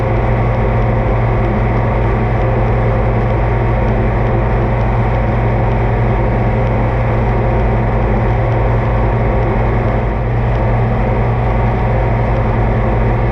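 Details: Oliver 2255 front-wheel-assist tractor on a test run after an oil service of engine, transfer case, front axle, rear end and hydraulics: a loud, even diesel drone with a steady low beat and no knocks or misses. Normal running; owner says everything done is fine.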